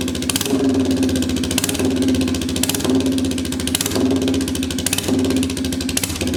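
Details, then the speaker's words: Royal Enfield 350cc Bullet single on a freshly made custom exhaust fitted with a baffle, not run in a while, in neutral. Loud thump with throttle blips about once a second and sharp pops as revs drop. Owner suspects over-fuelling and says a cat would remove much of it. "Uh, a lot of crackies in that. That could be that uh cat coming. Cat takes a lot of that out. So, like over fueling it."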